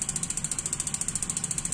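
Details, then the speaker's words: Gas water heater igniter check: crisp even ticking about ten clicks a second, steady throughout; igniter sparking normally. "tik tik tik tik tik ya Ini namanya tik tik yang kedua tek gitu Ya itu syarat pertama Insyaallah normal"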